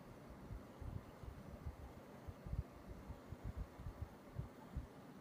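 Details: Panasonic air conditioner: low, uneven thuds and throbbing over a faint hum, irregular and dull; abnormal thumping noise, cause not clear.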